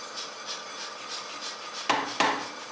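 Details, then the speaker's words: Swedish-made Jupiter pneumatic power hammer after new seals fixed it not going up to its top position: light regular air pulses about three a second, then two sharp solid blows; cycling and striking properly after repair. "yes oh yeah what an absolutely fantastic way to spend the day and get the power hammer to finally run as intended"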